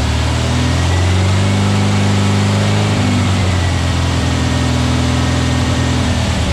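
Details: Freshly built VW Beetle 1679cc single-port engine, Scat C25 cam, dual Empi ITC carbs, 20-minute cam break-in: strong steady low drone shifting pitch slightly partway, no ticking or knocking; runs cleanly, timing spot on, carbs need tuning.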